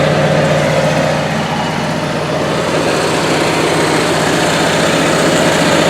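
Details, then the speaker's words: Onan Marquis 5500 RV generator (1998 Bounder motorhome, 20+ years old, 60 hours) after carburetor rebuild; constant even drone holding speed without surging or stumbling; owner says it sounds really good, lots of life left; normal running. "For now, I'm just happy to have it running. It sounds really good, and I feel like we got a lot of it's got a lot of life left in it."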